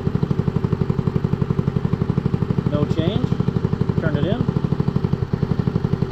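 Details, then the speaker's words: GY6 150 scooter (Maddog) with stock CVK carburetor being tuned: turning the air-fuel mixture screw in leans the idle, a steady single-cylinder putt about four beats a second sagging and softening; screw then backed out for highest RPM. "see how it's getting lower we're gonna back it out until the RPM gets at its highest"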